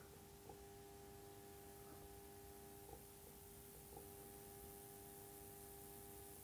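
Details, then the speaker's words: Faint steady buzz and fizzing hiss during insulation high-voltage test on a lithium button cell charger, with only about 50 microamps leakage; corona discharge. "you hear fuzzing and buzzing the currents quite low it's only about 50 micro amps leakage"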